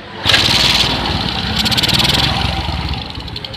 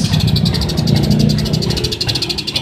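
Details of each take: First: Suzuki Smash motorcycle after ignition repair, with a stronger spark test: the engine starts quickly and settles into a steady idle with a soft even beat; previously it ran rough and died on throttle. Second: Suzuki Smash motorcycle: rough stumbling idle that bogs under throttle, nearly dying at half throttle and dying at full; suspected weak spark too small to burn the fuel; new battery recommended over a new CDI, after checking the charging wiring.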